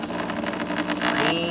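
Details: Saeco Incanto Classic superautomatic espresso machine, casing removed and sensors bypassed: busy whirring grind with steady pump hum, no knocks or squeals; brewing normally.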